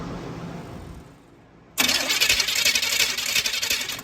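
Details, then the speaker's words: 1972 Chevelle 454 cranking with a newly shimmed Wilson 3510 starter on an already chewed flywheel: harsh, raspy metallic grinding throughout the crank, uneven each turn; starter pinion grinding on worn flywheel teeth. "it's not going to sound great because this flywheel has already been chewed up a little bit but we'll see how it sounds"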